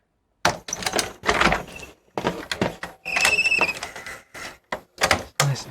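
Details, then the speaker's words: VCR (second unit, recorded as working) loading a tape: clunks of loading with a short high squeak midway; loading mechanism squeaks but completes its cycle and the machine works. "squeaky huh works"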